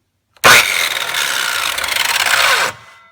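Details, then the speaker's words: 1989 7-1/4" circular saw, model 7391 type 4, 10 A, 5300 rpm, over 20 years old: spins up unloaded with a harsh, gritty rasping whir, then coasts down. Bad bearings at the blade end suspected. "and after 20 plus years, decided to go ahead and take a look what's inside causing the noise. Probably bad bearings. Listen to this."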